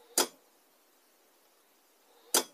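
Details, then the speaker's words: Power station on solar input too weak to charge, about 0.18 A: two sharp relay clicks about two seconds apart as it keeps retrying its charge relay while the fan tries to spin up. "the higher the amperage at about 0.18 amps the system now again tries to start the the to activate the relay same as on the anchor but much more noisy"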